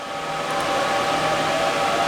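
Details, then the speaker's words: Server rig with ten RTX 3060 GPUs, fan shrouds and backplates removed, with the fan mode switched from optimal to full speed; a steady whoosh and a whine swell as the fans climb to full speed, and GPU temperatures drop from the 80s; fans running at full speed. "and I just heard it. You guys probably heard it too, starting to go up."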